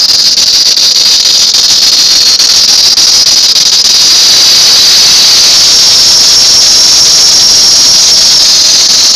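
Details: 1999 Town & Country van: loud, constant high-pitched squeal from the belt drive; belt replaced four times, water pump, alternator, idler and tensioner pulleys replaced; AC compressor normal, drive pulley or power steering pump remain unchecked, source unknown.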